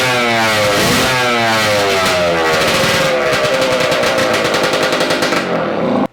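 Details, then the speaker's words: Yamaha AT-2 MX 125 two-stroke crackles crisply and revs freely, maybe a little rich, before its ignition trouble of not revving past 2000 rpm is investigated; normal running. "it just doesn't want to seem to to rev past 2000 as you can see right now it's doing fine it's doing what it's supposed to do maybe a little rich"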